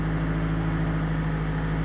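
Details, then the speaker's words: 2000 Toyota Celica GT 1.8L after repairing misfires on cylinders two and three: it cranks with no extended crank and idles with a smooth, steady four-cylinder hum, showing zero misfire counts on all cylinders; normal idle. "so way way better guys before there was a little bit of a extended crank this time it cranked over with no problem as you can see it shows zeros in all four cylinders"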